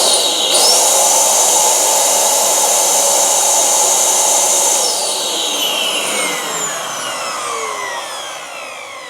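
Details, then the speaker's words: Dyson DC07/DC04 vacuum motor switched on for a test after cleaning, filter off: spins up to a strong, even high whine, holds steady, winds smoothly down, no rattle or grinding, healthy. "sounds all right with me can't see any problems with that"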